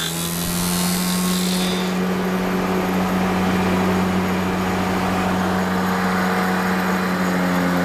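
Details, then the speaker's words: Sagar spindle moulder with a 16-inch box joint cutting attachment, cutting a test board: loud steady saw roar with a low hum and uneven flutter on the way down; vibration of unknown cause. "you can hear that vibration on the way down i'm not sure what that is"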